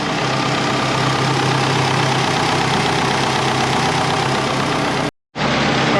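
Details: Twin-turbo Subaru Forester during tuning, restarted, warming (temp about 90-91), some smoke and condensation from below clearing: steady even idle, smooth low rumble, no misses or knocks; idling normally.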